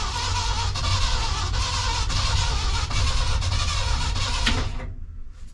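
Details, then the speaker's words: 1976 crew cab truck's first start attempt with new battery, fresh oil and filter: steady rhythmic cranking about four turns per second for five seconds, never fires. Cranks but won't start; cause unknown. "I think we got enough cranking amps. Sounds like she's definitely turning over"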